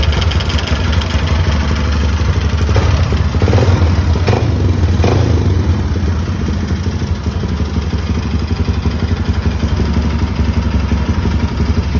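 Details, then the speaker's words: 150 Sport single-cylinder motorcycle engine running with an uneven rattling clatter over its low thump; strange noise, cause unknown, oil strainer later found dirty and clogged. "Ó pessal o que que vocês acha que é esse barulho aqui nessa moto deixa aí nos comentários embaixo"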